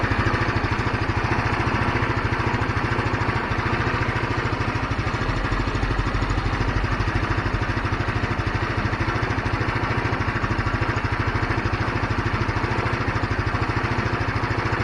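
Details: GY6 scooter that kept dropping RPM and dying after a week sitting, now after cleaning the carburetor main jet: steady even single-cylinder putter, no surging or dying off. RPM stable; normal idle, problem fixed.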